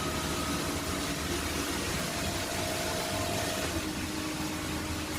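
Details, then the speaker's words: Pool inspection: hot tub jet pump (second pump) started via its relay; steady hum with even water rush, no knocking or rattling, running normally. "This would be the second pump that starts up. This is the jet pump relay."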